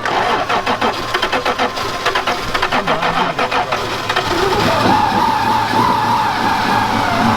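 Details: 1996 Toyota Tacoma 3.4L after rolling onto its side and no-start: rapid uneven cranking, then engine catches and settles into a strong, steady run.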